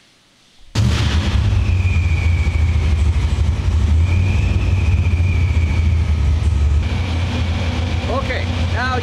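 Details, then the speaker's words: Blow-through carbureted V8 at operating temperature after slight idle air screw adjustment, timing and fuel set, left slightly rich: deep steady burble idling on its own about 1200 rpm, no misses or hunting; healthy. "you can hear sitting there idling on its own, about 1200 RPM, all nice."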